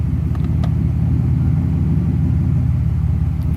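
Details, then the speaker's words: Mercedes SL600 on the lift with its transmission just installed and only partly filled, running with no exhaust: a steady deep idle while shifting park, drive, neutral and reverse, with no bang or clunk. Engagement is very smooth. "And now when you put it in park, that's engagement in drive, that's neutral,"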